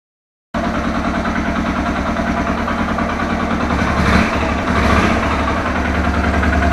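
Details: Suzuki Thunder 125 owned over 11 years, single-cylinder idle with a rhythmic internal knock about three times a second over the firing beat; strange noise inside the engine, cause not pinned down, engine to be torn down.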